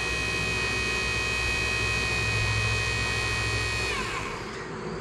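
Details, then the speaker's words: 1972 Mercedes-Benz 280 SE 4.5 (W108) AC cabin blower motor, bench-run on a 12 V battery after cleaning and lubricating its shaft bearings to cure screeching: steady, even whir that winds down smoothly, no squeal; normal running. "okay here it is connected to the 12vt battery I have to hold it it's really quite torky there I started wants to roll see how nice that is rolling nice"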